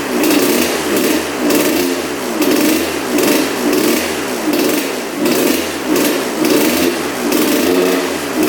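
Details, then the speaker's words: 1986/87 Honda CR125 two-stroke on 40:1 mix, after a new spark plug: blipped about once a second, each rise sagging flat instead of snapping up; bog on acceleration, owner suspects clogged pipe, unconfirmed. "the bog almost sounds like the the pipe is clogged so I wonder if that's what's going on"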